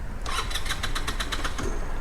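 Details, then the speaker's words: Newly bought used scooter: the starter spins in a quick, even beat of about seven turns a second and the engine never fires. Crank, no start, because the kill switch was on and cutting ignition. "The kill switch was on. Oops. I've since learned don't use the kill switch."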